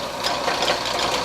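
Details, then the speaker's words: Atlas Craftsman 12 inch lathe model 101.07403, long unused and dirty, running in back gear, low pulley range, slowest speed (believed 28 RPM): even whirr with light gear chatter, no knocking or grinding; runs smoothly. "so actually uh looking at the pulley setup we're in the low range over here and we're turning as slow as we can here so that is the slowest speed on uh on the machine right there"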